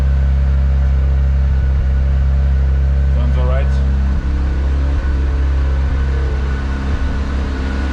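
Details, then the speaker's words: Mazda RX-7 rotary left idling to warm up after a cold start, no unusual smoke: a steady, even low drone with no misses, knocks or hunting; a healthy, settled idle. "so i just let it idle for a moment and i'll be back in a second once it's a bit warmer"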